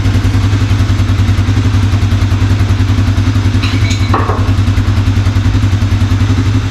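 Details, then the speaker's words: 1987 Four Trax ATV after carb and choke repair, running without air filter and box: steady single-cylinder idle with an occasional stumble, hiccup and slight backfire through the carb, suspected lean; idle mixture screw loosened for more fuel. "every once in a while it gives me a little hiccup and maybe a slight backfire through the carb so I'm going to loosen that screw a little bit more to give it a little bit more fuel"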